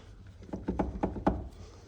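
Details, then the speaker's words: 2006 Toyota RAV4 steering knock: dull hollow thunks as steering wheel rocked by hand with universal joint removed; cause was loose nut on steering rod, finger-tightening it eliminated the noise. "А руль-то стучит всё равно, даже без этой крестовины. Причём звук-то такой интересный."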